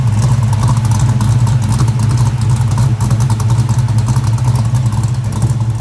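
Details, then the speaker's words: Ford 347 stroker V8 with Anderson N91 cam, 205cc 11R heads, 750 carb, after lifter change: loud, deep, throaty lumpy lope from the big cam, no tapping heard; healthy, apart from a noted exhaust leak at the collectors. "You ain't lying. That N91 is sounding awesome."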